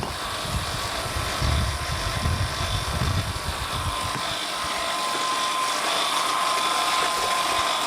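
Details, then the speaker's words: Vacuum pump (described as 1 horsepower) running during conversion of a Fisher & Paykel bar fridge to a 12 V DC compressor system: steady, even whirring hum with a faint high whine, no knocks or surges; running smoothly. "It's a 1 horsepower motor too, this. Anyway, smooth sailing, smooth sailing."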